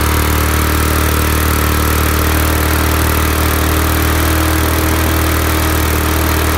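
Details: Briggs and Stratton lawn mower engine after head removed, head gasket refitted and carburetor clean: loud, steady single-cylinder putter at even speed with no misses or knocks; running smoothly.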